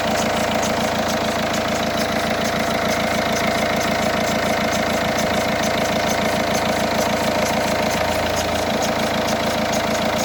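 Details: Peugeot 308 SW 1.6 HDi diesel, cold engine only, at idle: steady clatter with a regular tapping about twice a second on top; owner suspects belts or a bearing, cause unconfirmed; abnormal cold-idle noise.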